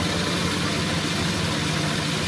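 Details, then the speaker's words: Honda Vario 125 scooter idling: steady raspy growl (ngorok), traced to loose radiator fan bolts rattling. "Ini teman-teman, ada motor Vario 125 yang bunyinya bisik ngorok."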